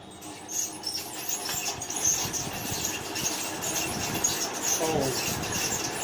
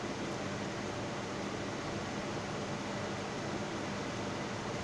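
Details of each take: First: Noisy ceiling fan running before disassembly: repeated high, thin squeaks over a hissy background from a dry fan bearing, heard while still mounted and powered. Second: Ceiling fan after repair of its noise problem, running on direct supply: steady airy whoosh with a faint low hum, no grinding or ticking, speed normal; the earlier loud noise is gone.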